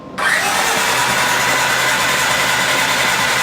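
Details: 1982 Honda CX500 Turbo, sitting 25 years, on wrong battery, oil checked: steady even starter cranking drone with no firing; cranking, no start, spark present, compression unchecked.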